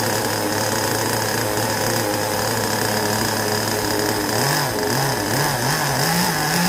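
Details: Carson Storm Racer Pro .15 two-stroke nitro engine in a 1/10 buggy, rebuilt after sitting 10+ years, on 20% nitro fuel: a high buzzy drone that warbles up and down with throttle blips. Running healthily.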